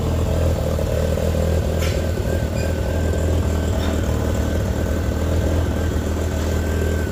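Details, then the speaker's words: Mazda RX8 with bridge-ported 13B REW rotary swap on Haltech S2 ECU with rough base map, minutes after first start: low even burble at about 1100 rpm, no misses or surging; unusually smooth, like a stock engine. "Okay, so within just a couple of minutes, got this thing idling around 1100 revs. Oil pressure. That sounds very, very smooth."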